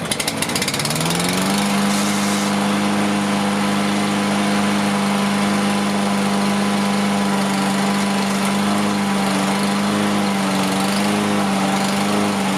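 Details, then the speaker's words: Toro Recycler AWD mower, Briggs & Stratton engine: catches into steady even drone, constant pitch, no misses or surging; still smoking from oil in muffler, but running a lot better. "It's definitely running a heck of a lot better though."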